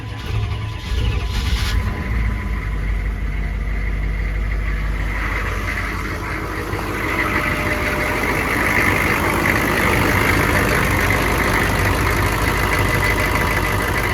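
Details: 1996 Chevrolet C2500 Suburban at idle after the broken belt tensioner bracket was dealt with: steady diesel clatter with no squeal or chirp over it, where the belt had squealed badly before; belt drive now running quietly and normally.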